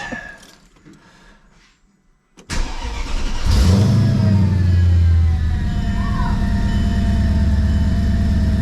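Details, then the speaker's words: Mercedes CLK55 M113K with a newly fitted fixed upper pulley (UPD 80mm, Weistec 180mm), just started and not yet warm: a deep, steady V8 idle with a faint whir. There is no bad marbly noise; it sounds normal. "for those of you guys that don't know you get like almost a marbly noise sometimes on some of them with fixed pulley this one doesn't sound that bad"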